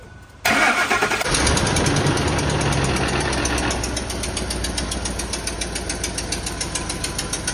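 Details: 2004 Ford F-150 5.4 3-valve Triton, new remanufactured engine with replaced camshaft phaser, customer complaint of knocking on startup; engine catches and settles into fast, uneven ticking knock over idle, easing slightly as it runs; possibly timing chain.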